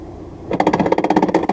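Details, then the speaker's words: VAZ 2110 gearbox with 2nd and 3rd gears hard to engage, engine idling in neutral: releasing the clutch turns the quiet idle into a loud, fast metallic rattle of about fourteen knocks a second. "вот смотри нейтральное до отпускаю сцепление появляется жуткий крик ой [ __ ] [ __ ] шестому страшно грохот появляется ужасный просто"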